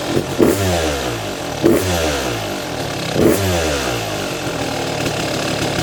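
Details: Freshly restored Kawasaki KX250 two-stroke after rebuild and cylinder sleeving, first start with idle screw way out: crisp throttle blips about every 1.5 seconds, each falling back to a steady clean idle; sounds healthy and snappy.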